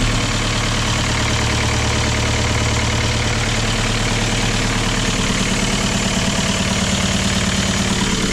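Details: Cold Kia Ceed 1.6 diesel just started in frost (about -12 to -14 °C outside) with a Dnipro-M JS-12P jump starter after the battery died: even rhythmic diesel clatter, no stumbling or hunting; normal idle.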